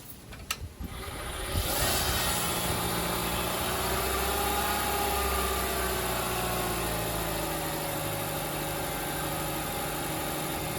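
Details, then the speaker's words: 2010 Honda Civic Hybrid just after spark plug replacement: brief churn as it fires, then steady, even idle with no misses, knocks or stumbles; check engine light now off; normal idle. "So just gonna go ahead and let it run. The check engine light is actually off now."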